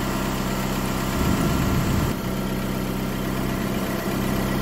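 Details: Chrysler PT Cruiser that was towed in with a crank, no start, after a new fuel pump was fitted and codes cleared: a steady, even idle with a constant, fairly loud fuel pump hum and no misses. Normal idle.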